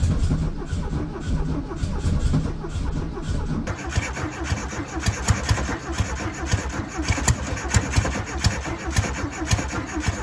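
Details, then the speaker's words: 1968 VW Beetle air-cooled engine, first start attempt after sitting 35 years, choked: cranks a few seconds, catches and runs ragged and uneven, won't settle; carburetor probably gummed up, not confirmed. "Carburetor's probably gummed up. More than likely. I know, but I can't believe it ran."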